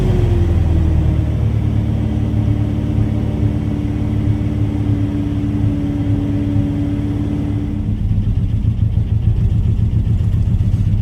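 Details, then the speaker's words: Chevy S10, weak fuel pressure, throttle feathered: engine runs lumpy with wavering uneven rumble and sagging speed, nearly stalling; suspected weak fuel pump and/or injectors. "Seems like a mixture from bad fuel pump to fuel injectors, because I'm feathering the throttle while I'm doing this, and it's just, it almost seems like it doesn't want to stay running."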